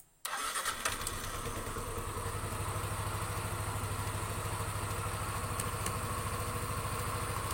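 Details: Yamaha NMAX after repair of hard starting, rough engine noise and radiator coolant spurting (new gasket fitted without glue): it catches quickly and settles into an even, smooth idle with no knocks. No more spurting and a 6 km road test was fine.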